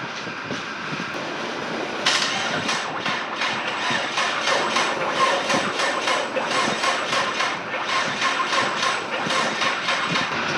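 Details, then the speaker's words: EcoBoost engine swapped into a RWD Ford Fusion, first start on the factory harness: laboured, uneven cranking with heavy chugging beats about twice a second, turning over hard and never firing. Oil was in the cylinders from flipping the motor; the cause is unconfirmed. "over pretty hard um I know there's some oil in the cylinders from flipping the motor over uh but it is cranking so I'm going to get a jump box not sure why it's turning over weird but uh it's never going to start like that"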